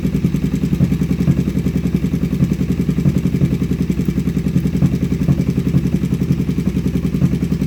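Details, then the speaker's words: Kawasaki Vulcan 500 twin at idle on its first start after a carburetor kit was fitted: fast regular ticking clatter, three to four per second; a spark plug found loose, then tightened finger tight. "well it runs that plug looks like it's a little loose so i'm going to tighten that up real quick"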